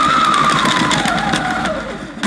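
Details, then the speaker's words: Hoover S4386 Aquatronic 1100 3-in-1 vacuum cleaner (launched around 1987) cord rewind test: a quick whirring that falls in pitch as the cord reels in, then a clean snap at the end. The rewind works normally. "okie dokie let's try the chord rewind see if that works"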